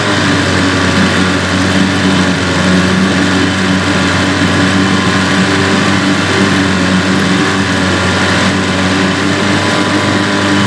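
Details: Evinrude/Johnson 15 HP outboard running steadily with a constant high whine over the motor note; the whine is less bad since the drive shaft was swapped but never goes away, source not identified; a parts motor.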